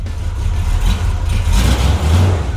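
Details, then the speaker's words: 1978 Corvette Pace Car with a new Painless wiring harness, before brake, suspension and power steering work: deep, even rumble with light revving and no ticking or puffing; no big exhaust leak found. "yeah it actually doesn't have a giant exhaust leak which is good didn't even have to shut it off"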